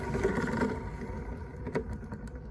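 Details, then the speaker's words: Renault Zoe EV motor, 71,000 on the clock, reduction gear removed, shaft spun by hand: rough, gritty rumble with uneven rattling; worn motor bearing, heavy aluminium corrosion found. "sounds pretty bad so that's obviously what's making the noise"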